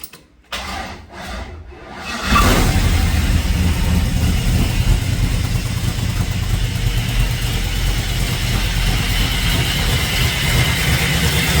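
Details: LS-swapped 1970 Plymouth Satellite after rewiring, repeated failed attempts: brief cranking, V8 fires at about two seconds and settles into steady loud burbling idle; normal start and idle.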